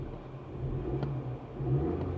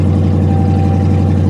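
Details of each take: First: Pontiac G8 GT V8 driving through gears: smooth, even low hum with steady throttle changes and no misfire; runs well, though a strange vibration with a rattling noise is noted, cause unknown. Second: Pontiac G8 GT V8 at auction with exhaust cut off, raw fuel smell: deep, loud, raw idle with fast throbbing lope and no muffling; loud idle from missing exhaust.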